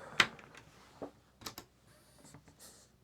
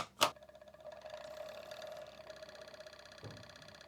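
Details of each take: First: PlayStation 1 CD-ROM drive after servicing and cleaning, top cover off: barely audible, only a few soft ticks and faint whirr, no grinding or buzzing; normal quiet operation. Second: PlayStation 1 on power-up: loud steady whirring buzz with a nasal mid tone and rattly edge from the CD-ROM drive; worn spindle motor hub and dry bearings needing service.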